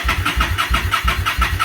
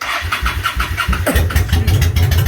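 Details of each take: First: Motorcycle after winter storage, choke on, battery tender just removed: starter churns in even pulses about six a second without firing because the gas valve was left off; cranks but won't start until fuel turned on. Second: Motorcycle after winter storage, choke on, fuel just turned back on: brief cranking then catches into a loud, steady, slightly lumpy idle to warm up in spring; normal cold start.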